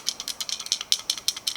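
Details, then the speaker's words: Failed Roush active exhaust valve actuator, driver's side, sealed electric unit from a 2-month-old install: sharp light rattles about eight times a second when shaken, loose internal pieces clattering; valve itself fine, actuator failed internally. "something in here is falling apart and is loose. Now this is a sealed unit."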